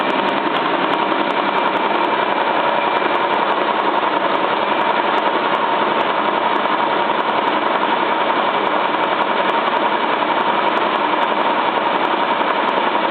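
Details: Cylinda 12002 washing machine on its final fast spin: steady roar with a repeated knock about twice a second, as if something is stuck in the drum; nothing found in the inspection pocket, cause unknown.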